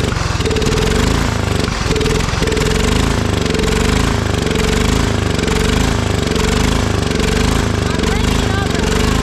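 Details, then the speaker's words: Old Cub Cadet riding mower, sat for years in a barn, restarted on jump after disliking throttle: loud, steady single-cylinder chug idling smoothly with an even beat, no misses or knocks. "over there we go now it's idling pretty nice"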